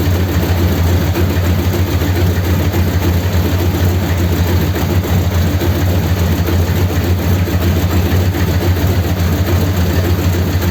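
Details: 1932 Ford sedan after a roadside fault on the way home was repaired and about a litre of fluid topped up, started to check for leaks; deep even idle with a steady low rumble and no knocks, misses or ticks over eleven seconds. Normal idle.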